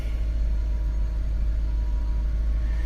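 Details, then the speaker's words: Big V8 BMW at auction with 107,000 miles, showing headlight and fog light warnings but no check engine light. Deep, steady, even idle with nothing knocking or ticking; no smoke, not burning oil, good power, a normal idle. "I don't see any smoke so that means that no no oil getting past the valves right it's not burning oil no check engine light good power she's good"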